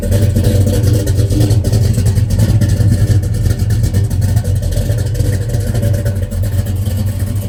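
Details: 1968 Chevrolet Chevelle, 454 crate big-block V8, 700R4 automatic, 364 miles since gauges installed: deep, loud rumble, even lope about three beats a second, no knocks or rattles; healthy idle.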